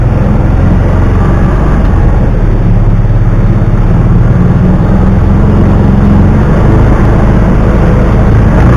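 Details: 2009 Kawasaki Teryx 750 fuel-injected, after fix for warm backfiring and power loss (nail inserted in center section): steady, even engine drone holding speed, no popping or stumbling — runs perfect.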